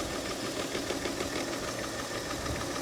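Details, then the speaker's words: 2008 Mercedes ML350 at auction, coolant issues: idle stumbles with uneven lumpy beat and irregular knocks; seems not running on all cylinders, misfire suspected, with balance shaft problem feared but not confirmed. "I just don't think she's running on all over the sil ERS I think we have an issue here"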